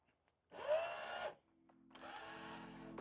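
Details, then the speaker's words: Rieco-Titan truck camper jack, spare motor on the bench without the leg fitted after disassembly: two short runs of smooth, even electric motor hum at steady pitch, no grinding or clicking; quiet like the good jack, replacing the original noisy motor. "sounds just like it so I guess we got it fixed good to go"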